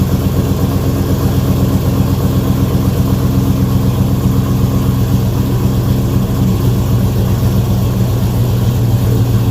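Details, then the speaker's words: 2007 Chevrolet Avalanche at cold idle right after a rear end install (3.73 gears), not started in a while: loud, even, loping V8 rumble holding a steady beat with no knocks, misses or ticks; running good. "What they say in the old days, we spit water, it running good, boy. It running real good. That thing loping, ain't it?"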